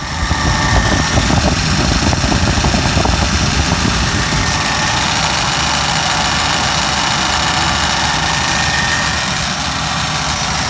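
Smooth, even twelve-cylinder idle with a steady hum and no ticking, knocking or belt squeal; healthy idle.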